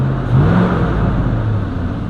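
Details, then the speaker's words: 2004 Chevy Silverado 5.3L fan clutch before replacement: deep whooshing roar swells sharply on acceleration, louder than engine and exhaust; fan clutch not disengaging, fixed with a new GM fan clutch. "once we accelerate you really hear that fan fire up that's like your ears getting cockblocks just totally unnecessary"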